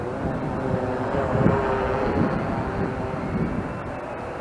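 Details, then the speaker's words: Bayang Toys X16GPS camera drone flying outdoors with GPS found to be on the whole time: buzzing propeller whine surging up and down in pitch, erratic; owner suspects the battery is getting low, not confirmed. "Oh, I think I know why it's buzzing like this, or doing this craziness."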